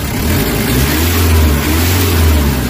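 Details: Nissan Vanette with 5W40 oil, after XADO engine treatment to fix throttle delay and low power: revs swell and ease back smoothly with no hesitation, misfire or knock, pulling strongly from 1,500–1,800 rpm; the earlier vapor-like running is gone and there is no smoke.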